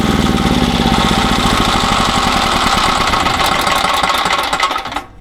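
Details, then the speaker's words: SDMO 5000W generator, 296 cc, bought cheap as "broken" (owner thought alternator blown), running after refuelling: steady even drone under governor control, no misses or knocks; output about 140 V, slightly high, handled a 1000 W heater load. "Now, as you can hear, the generator runs super well. It's putting out good voltage."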